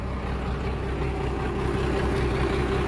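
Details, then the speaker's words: Abandoned 1997 Dodge Ram Gen 2 Cummins diesel with NV4500 5-speed, sitting possibly 10 years, just started: steady, low rumble with even beat, no knocks or misses, no heavy smoke; healthy idle. "Okay. I think she sounds all right. We'll have to get it to the yard and pressure wash it and see what we're actually dealing with here. But that sounded all right."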